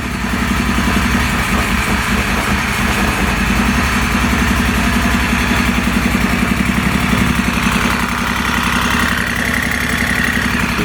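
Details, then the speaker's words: First start of a replacement Moto Guzzi Stelvio engine that sat for six years: lumpy, uneven loping idle with irregular pulses, rough running, possibly firing on only one of two cylinders. "no go it sounds like it wants to do something"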